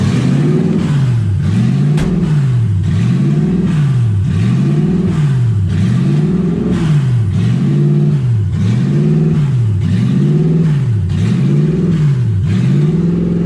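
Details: Ford Falcon with 1UZ V8, warm with radiator hot and temperature near 160, just driven: the idle swings up and down steadily and never settles. Owner unsure why; idle hunting.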